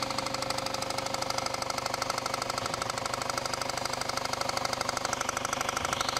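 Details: Loud idle with a steady metallic knock about three per second from the bottom of the engine, easily mistaken for rod or bearing knock; another shop called for engine replacement, but the failed harmonic balancer was the real cause.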